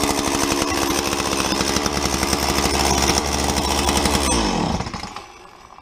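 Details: Stihl MS170 chainsaw after oiler repair (oil feed from bottom of tank fixed, pump drive reinstalled): screams at steady high revs, clean and even, then shut off and winds down smoothly; healthy running and oiling.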